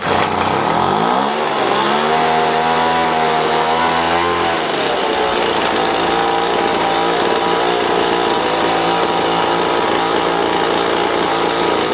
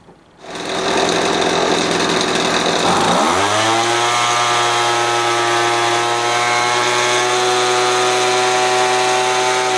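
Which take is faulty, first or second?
first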